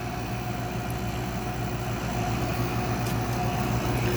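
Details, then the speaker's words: Air conditioner with 7.2 oz of R22, blowing less cold than before: steady low hum with a faint rough buzz over the fan's rush; compressor sounds worn, possibly a lubrication issue suspected, cause unclear. "The compressor also sounds like it's seen better days. It's not just the fan."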